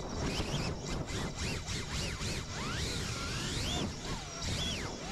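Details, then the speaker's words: FPV quad (cinewhoop) whose ESC rebooted mid-flight: buzzy motor whine swoops up and down in quick uneven jumps even while hovering; motors rough and twitchy, tune suspected wrong, cause unconfirmed. "do you hear the motors going even when the quad is just hovering listen right there do you hear that the motors are super they're having a problem right there"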